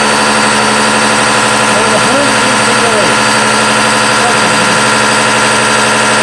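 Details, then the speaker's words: Bosch CPN5 common rail diesel injection pump on a test bench at 800 rpm: loud, hard, even hammering buzz with a steady rhythm from the rapid plunger rise; normal for this pump. "you know with this rapid rise you know of the pump up and down you know it's no wonder there's loud I don't want you to hear how loud this thing truly is this is 800 RPM"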